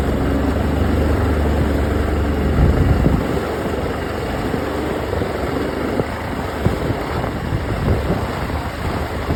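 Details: OX66 outboard running with a rough, uneven low churn and irregular gritty grinding bursts over the drone; new spark plugs stopped it only briefly, compression excellent, prop not slipping, cause unknown.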